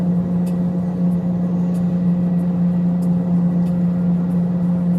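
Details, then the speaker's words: 2009 Honda Accord LX 4-cylinder, 115K miles, while driving: loud steady low drone in the cabin from a badly worn wheel bearing. "Got a bad wheel bearing. Can you hear that sound right there? It's pretty bad."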